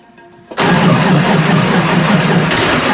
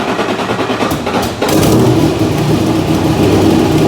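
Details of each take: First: 1986 Nissan 300ZX Turbo, stored for years, first start after rebuild with fresh fuel line and filter: catches after short crank, runs rough and uneven; spark, injectors, sensors, vacuum checked fine. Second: 1986 Nissan 300ZX Turbo, stored for years, after swapping in a distributor from the donor car: brief crank, then catches and revs into strong even run with no misfire; healthy, confirming the distributor was the fault.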